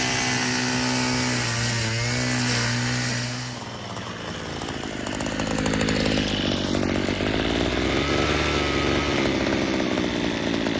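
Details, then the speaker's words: Yard-sale two-stroke weedeater: the buzz dies when the trimmer is tilted on its side and revs back up when righted; owner suspects fuel pooling in the crankcase. "That's weird. You turn it on its side and it cuts off. You tilt it back and it revs up."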